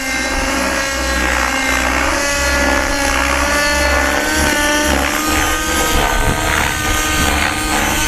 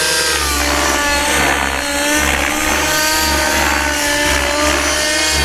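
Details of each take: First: Nitro RC helicopter with a very rich engine: during rolls the blades give a raspy, smeared buzz instead of a crisp chop, a sign of rotor blades out of track. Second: RC helicopter after its rotor blade tracking was corrected: the engine whine rises and falls through the roll with a crisp, even blade swish and no raspy noise at the end of the roll; normal rotor blade noise.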